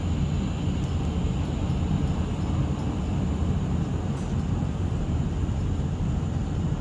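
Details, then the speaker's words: 2005 Dodge Ram 1500 4x4 at cruising speed after replacing the noisy rear differential with a salvage-yard unit: steady low road rumble, no whine with speed; rear end sounds much better. "you know if you put it back like you found it generally it should it was working before it should work after you put it back together so so sounds much better"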